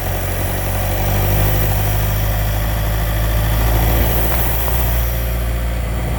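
The engine idles with an uneven low rattle and rumble under it, about four beats a second, pointing to clutch noise from the gearbox.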